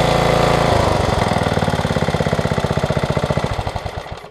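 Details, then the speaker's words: Craftsman rear-tine tiller, 5hp Briggs single-cylinder, after new ignition coil and kill wire refitted: chug at about four beats a second slows evenly and dies cleanly when killed; the stop now works much better. "yeah that's much much much better much better"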